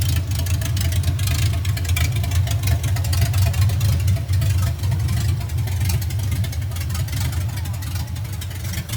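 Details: First test drive of 1982 FJ45 pickup with freshly rebuilt 1977 Toyota 2F and H55F 5-speed under load: deep, steady, even engine drone, no knock, whine or gearbox grinding; normal.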